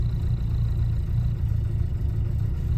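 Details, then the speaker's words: 1967 Alfa Romeo Giulia 1300 TI, very original, cold start in mid-January, in neutral, choke being adjusted with slight throttle: steady, even low rumble with no knocks or misses, settling toward a smooth idle after firing up easily; normal cold idle on choke. "trying to find that sweet spot still so between the choke and the ever so slight bit of gas we're giving her she's working her way up to a smooth idle you saw how easily she fired up"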